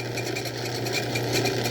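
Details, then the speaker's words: Old Craftsman 109 lathe during a boring cut: fast, even pulsing buzz of about eight beats a second over the motor hum; operator suspects tool chatter, not confirmed. "that might be chatter i've heard about that stuff"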